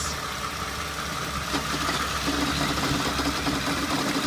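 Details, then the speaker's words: 2007 Toyota Sienna idling in drive with brake held, wheels straight, after about 20 minutes of driving: uneven clunk and light grind from front of engine; owner suspects belt tensioner or idler pulley, wobbly pulley seen. "Alright, so we are going to leave the wheels straight and we're going to put it into drive with the brake on, and you'll hear the clunking"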